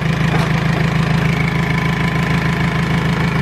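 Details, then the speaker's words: R2.8 Cummins diesel swapped into a 1997 Jeep Wrangler, first start-up idle with gauges not connected; steady clatter at about 200 even pulses a minute, no misses, doesn't shake badly; owner wonders about a possible oil leak. "it doesn't shake bad"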